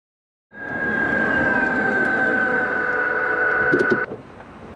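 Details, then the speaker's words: Toyota hybrid slowing to a stop: steady high whine holding one pitch for several seconds; normal regenerative braking noise, possibly quieter on better-insulated Lexus models. "that is actually the regenerative braking that is a noise that hybrids made since day one and they will continue to do so as long as they are in the same design that is normal"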